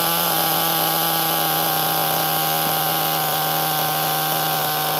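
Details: HPI Nitro MT 18SS RC truck nitro engine, after tightening a loose glow plug and raising throttle trim idle: steady high buzzing scream holding an even pitch; running cleanly and smoothly.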